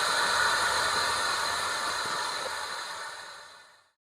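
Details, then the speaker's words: USB MP3 Bluetooth amplifier after fitting a 7805 regulator giving correct 5 V to the module: switches to FM mode and speaker gives a steady even hiss that fades; FM stage working, normal tuner static. "ये wire लगाते से ही FM mode बताकर चालू हो गया, मतलब अब अपना मॉड्यूल आवाज़ दे रहा है।"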